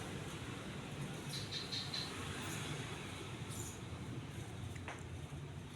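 Soft, steady low hum with no rubbing, ticking or wobble, just a few birds outside; the fan runs smoothly and sounds healthy.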